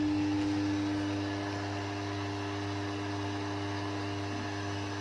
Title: Transformer Humming Noise And How To Reduce? | ट्रांसफार्मर में हमिंग साउंड क्यों आता है | Practical